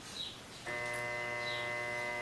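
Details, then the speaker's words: Consul/Brastemp washing machine motor bench-tested on mains: a steady electrical hum with no spin-up, motor fails to start; two new capacitors didn't help, so the motor itself is bad. "pego a minha tomadinha e vou colocar energizar tá ouvindo o barulho motor não parte motor está ruim"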